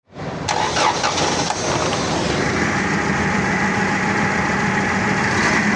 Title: The forklift was misfiring, so I replaced all four plugs.